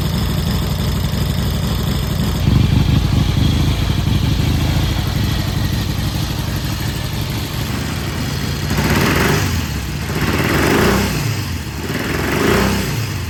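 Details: 1967 Triumph T100C twin, first start in about 30 years after new fluids and carb cleaning: even steady idle then three smooth rev blips rising and falling cleanly; healthy.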